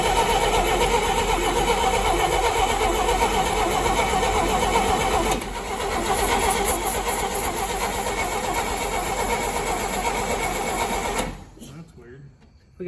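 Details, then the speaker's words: 1959 Rambler, 195 flathead inline-6, automatic, parked for years: steady cranking about 2.5 turns a second with no firing before cutting out; lost spark from a loose positive coil feed wire, coil tested good. "our positive wire to our coil was a little bit loose let's see if we have a spark now"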